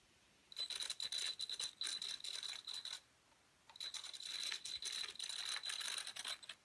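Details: Redcat Volcano EXP RC truck, new out of the box, battery fully charged, ESC programmed: rough, gritty rattling in bursts with a thin high whine while the motor runs. Owner suspects poor pinion-to-spur gear mesh; not confirmed.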